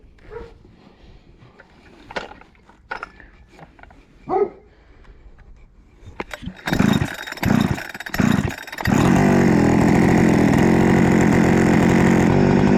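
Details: Rebuilt Husqvarna 288XP chainsaw (new cylinder, piston, swapped crankcase), high-speed screw adjustment having no effect: after pull-start bursts it screams at a high steady over-revving pitch, running very lean, risking scoring the cylinder.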